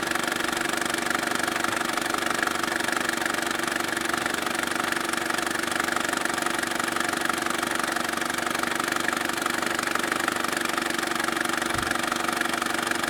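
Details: Saab 9-3 SS engine with a strange noise at idle: a steady, even tick at about four per second over a constant idle; the source is unclear.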